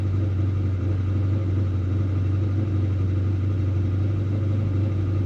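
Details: 1968 Dodge Dart 340 V8 with a newly rebuilt A727 transmission, started cold with oil pressure rising: a steady, deep idle with an even beat and no knocks or ticks. A buzz from the brake vacuum pump is audible. Normal cold idle.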